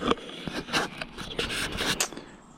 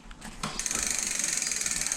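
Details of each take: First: Hyper Explorer budget mountain bike, front disc brake: light rhythmic scraping with each wheel turn as the pad barely grazes the rotor, uneven light gap; caliper needs adjusting. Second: Budget Hyper Explorer full-suspension mountain bike, rear disc brake after caliper realignment and backing the inner pad adjuster out one turn: fast, even freewheel ticking with no scraping; no brake rub.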